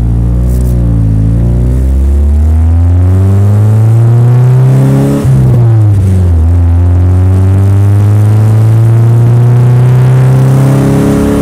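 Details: Nissan S13: deep exhaust drone rising and falling with the revs, the note stumbling and uneven in places; engine misfire.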